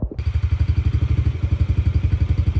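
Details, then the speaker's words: Yamaha TT-R50E kid's bike after carburetor cleaning, with the battery fully charged; it previously barely started and would not idle. Crisp single-cylinder thumping at about twelve even beats a second, no misses; normal idle. "battery's fully charged sounds like it runs pretty good"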